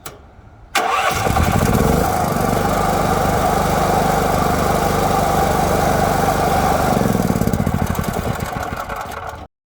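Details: Generator whose choke is pulled and pushed by a fitted car central locking kit, started with the choke pulled out: catches on the first try, then runs evenly and steadily for about nine seconds before shutting off; healthy start and idle.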